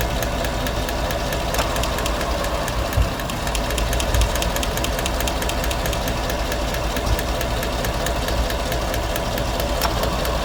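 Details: 2017 GM Silverado 5.3 V8 at 25,000 km idling with the valve cover off and coils unplugged; quick sharp ticking in time with the valve action, a valvetrain tick from the number four pushrod bent again a year after replacement and AFM delete, setting P0324 knock sensor code.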